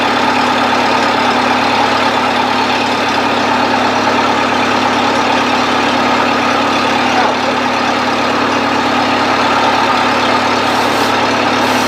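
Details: 1970s Bobcat 610 skid steer idling after a choked cold start: steady, even idle with no knocks or misses. Runs smooth and healthy.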